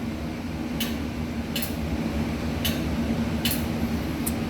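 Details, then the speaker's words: Concession trailer deep-fryer thermostat switched on and off twice at first startup: about five sharp, crisp clicks over a low steady hum, showing the thermostat is engaging the gas valve properly. "turn this on and off twice making sure that you can hear the clicking noise what that clicking noise is is making sure this thermostat connects with this gas valve from transport"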